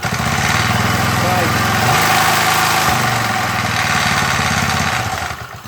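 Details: MTD edger with 3.5 hp Briggs engine, long-sitting non-runner after repair, revs brought up: smooth, even putter around three and a half beats a second, steady as revs rise; runs cleanly, normal running.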